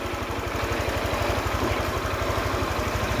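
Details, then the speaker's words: Honda Click 125i scooter after water pump replacement and value reset fixing idle stalling: even idle at about four pulses a second with a faint rough rumble from a worn clutch bell bearing, judged acceptable, customer to be informed. "นี่คือปกติแล้วนะครับส่วนที่ดังคือดังในลูกปืนชามคลาสนะครับก็ไม่เป็นไรครับ"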